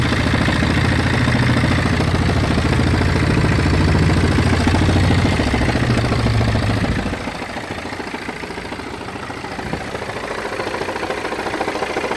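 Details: BMW 320d F30 diesel at idle: rough rhythmic grinding/judder about three and a half beats a second, disappears when revved and returns at idle; intermittent, sometimes absent for weeks, vibration felt through clutch pedal; cause unknown.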